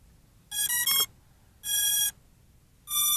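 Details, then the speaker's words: Holy Stone HS360D sub-250g drone with built-in 7.4V 1100mAh battery powering up after a long press: the ESCs sing their normal start-up song, three bright electronic tone bursts, the first a quick stepped melody. "Just a long press will do and the ESC's will sing their song."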